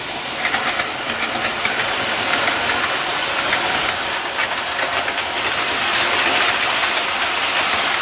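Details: Outdoor model railway after major track replacement with fewer joints on third/fourth radius curves: light even clicking and rolling hiss as the train runs, no stumbles or hard knocks at joints; runs smoothly.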